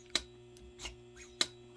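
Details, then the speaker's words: Barn-find Yamaha Virago, carburetors with choke and throttle cables removed so the linkage moves freely. Slap test gives two crisp metallic slaps as the slides drop freely, showing the top diaphragms should be sealing with no tears or pinholes. "they call that a slap test if you hear that slide slapping down like that it tells you that your diaphragms up in the top of the carburetor here are uh or should be here"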